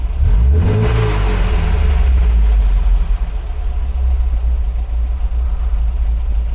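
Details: 1980 MGB with twin carburettors after head gasket replacement, timing and carb tuning, bonnet closed, gas tester removed: crisp throttle blips rise and fall cleanly, then settle to a steady even idle with no misses or knocks; normal revving.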